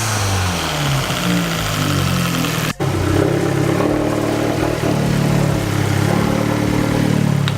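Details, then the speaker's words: Fiat 500 Abarth turbo petrol on its stock setup before a Forge blow-off valve is fitted; revving and dropping off with a fluttery chatter on throttle lift, turbo compressor surge. "basically why I did get this on though is to eliminate my treble flutter because it's not good I'll give you a sound clip right now"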